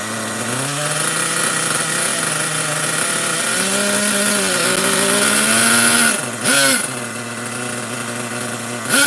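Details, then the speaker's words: Nitro RC truck engine bought used, carburetor likely still dirty, running: small engine buzzes with a high wavering whine that blips and dips; idle slightly too high, otherwise sounds acceptable. "All right, I'm not going to let it run too long. I don't want to smoke myself out. But yeah, idle could be a little bit lower. Other than that, I don't think it sounds too bad."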